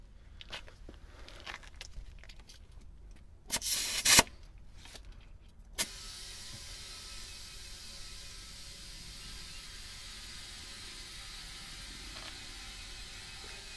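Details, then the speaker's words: Small compressor reinflating a Jeep tire after GlueTread sidewall patch was cured with accelerator: after handling clatter, steady even airy rush; compressor later seemed to run low on air. "so we have a compressor it's already loaded up here we're just going to go ahead and start adding air back to the"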